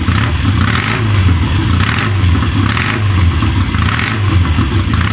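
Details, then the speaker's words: Triumph Tiger 90 350 motorcycle with electronic ignition after rebuild: revs surge up and down about once a second with ragged firing; incorrect ignition timing. "anyway strobed uh it was a bit it was a bit all over the place to be honest but anyway had a bit of a mess about um redid top dead center"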